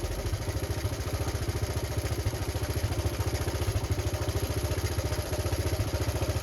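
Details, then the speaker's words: Honda Cub C70 under restoration, warm, no choke, after cleaning stator windings, fixing the points wire and resetting points to .03: steady low even thumping idle, about three and a half beats a second, no misses; runs perfectly. "so there you go part six got it running perfect"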